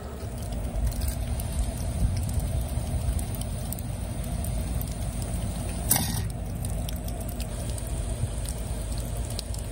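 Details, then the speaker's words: Backyard schedule 40 PVC irrigation system, before fitting an arrestor: rushing water with two sharp bangs as valves snap shut; water hammer on valve closing. "I'm going to cycle the irrigation in my backyard and we'll figure out exactly how bad the hammer is so we know how much correction was achieved with these measures that I'm gonna put in today."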